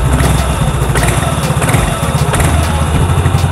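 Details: Yamaha Mio Soul GT 115 scooter after new cylinder block installed: quick, steady single-cylinder putter with light top-end clatter, idling evenly and healthy; leftover oil in exhaust still smoking, should stop within about two days.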